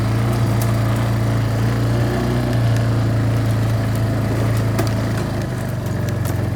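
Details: Barn-find Kawasaki Bayou 220 ATV on test drive after repairs (filthy carburetor cleaned, new battery, oil and air filters, rear right wheel bearing and seal): smooth even single-cylinder putter under light riding load, no knocks or rattles; engine running really good, no issues.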